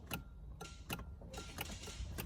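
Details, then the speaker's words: 2008 Kia Sorento 3.3 V6 towed in as a no-start, tried on a booster pack with the dash lights normal: sharp single clicks repeat irregularly with no cranking. No-crank click in the starting circuit; starter and shutdown relays suspected, not confirmed. "And let's see if we, all right, so on the dash, everything is normal, right? Yes, everything just clicks."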